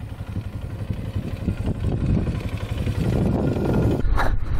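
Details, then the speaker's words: Polaris Sportsman 500 4x4 ATV, test ride after its no-spark problem was fixed, plow removed, going through all the gears. An even single-cylinder thump with no clatter or misfire; it runs better than expected, and the clutch isn't rubbing much. "all right so far this thing's running way better than I expected it to run going through all the gears nicely sounds pretty good"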